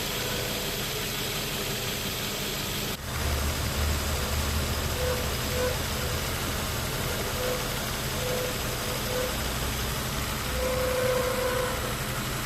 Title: 2005 4.0 litter Nissan Xterra making weird howling noises from engine bay.